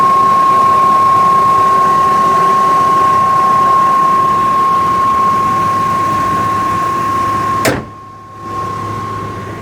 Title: A/C Condenser fan humming sound